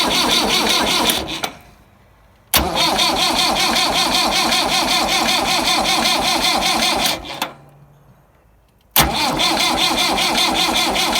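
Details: Massey Ferguson 175 tractor with new wiring and petcock, in neutral while bleeding the fuel lines: two long cranking bursts with an even chug near three per second, never catching. Fuel reaches only 2 injectors, none comes from the pump's top vent, and air in the lines is suspected.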